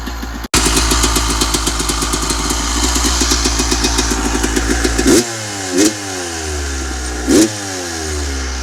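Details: 1996 Yamaha YZ250 two-stroke, warmed up, pipe too hot to touch, before carb work: crackling idle, three short throttle stabs flare and sag without clean pickup; bog on throttle, suspected carb pilot jet issue.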